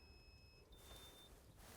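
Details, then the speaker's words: VW Crafter campervan inverter switched on to go off-grid mode with the battery at 100%: short high electronic beep, one tone then a slightly different one, over quiet background; normal switch-on beep. "next we have our inverter when you switch this on it will change the van to offgrid mode so we hold in like so you'll see the green button come on and you'll hear a beeping noise like"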